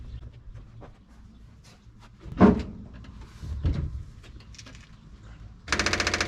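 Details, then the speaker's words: 1957 Chevy after a fuel tank install, with five more gallons added: clunks, then the starter cranks in a quick, even chug but it never fires; the fuel pump isn't priming. "sounds like that's a negative again"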